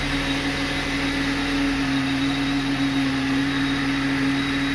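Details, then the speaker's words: Car with 243 on the odometer that came in with an engine fault and a too-lean LPG mixture, idling on its first start after timing work. Smooth, even idle with a constant low hum and no ticking, knocking or stumbling; running normally. "dobra pierwsze zapalenie zobaczymy jak to będzie chodzić dawaj"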